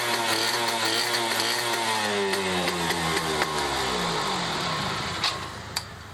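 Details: Restored Yamaha F1ZR two-stroke with a rebuilt stock (STD) engine and full clutch: crisp rasp climbs and falls cleanly through the revs with steady firing, no misfire or knock; engine sounds healthy after restoration.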